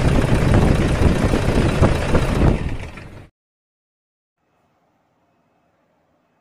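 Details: Toyota Fortuner common-rail diesel running rough and vibrating: hard, uneven clatter at about three knocks a second, then shuts off; cause traced outside the engine to a faulty injector driver, no engine teardown needed.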